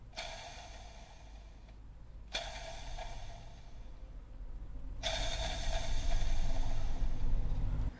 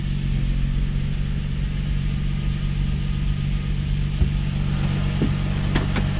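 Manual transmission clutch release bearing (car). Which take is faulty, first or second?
first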